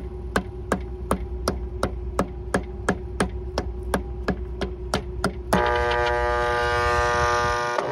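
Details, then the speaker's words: Restroom roof exhaust fan motor, powered but not turning, meter reading 6.6 A on one leg; bad start winding diagnosed: steady ticking then a loud constant electrical buzz that never winds up; locked rotor, motor to be replaced. "we currently have power on motor's not running at this time we do have power but i believe there's a dead spot in the motor"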